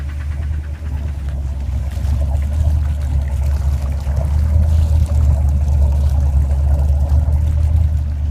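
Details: 1990 Crusader 454 big-block at idle with throttle blips, dull uneven knock underneath growing as revs rise; rod knock from a worn rod bearing.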